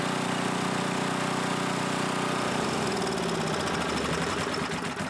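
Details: Coleman generator with Briggs engine after a full tune-up, carb cleaning, cleaned tank, new oil, air filter, carb diaphragm and pickup tube: even, steady drone at constant speed, the beat loosening slightly as it settles; runs smoothly overall.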